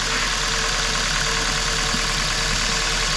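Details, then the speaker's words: Hyundai i30 estate petrol at idle: very uneven, lumpy running from a cylinder-one misfire; unplugging the first cylinder's coil made no difference, identifying the failed ignition coil as the culprit. "A jak możecie zobaczyć silnik bardzo nierównomiernie pracuje czyli coś się dzieje weź nagraj"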